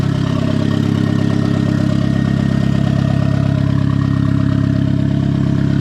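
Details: Turbo Miata first start with a hood dump pipe and brand-new bearings: steady idle with a thin, constant high-pitched hum over the exhaust. Source is uncertain; the owner suspects the turbo.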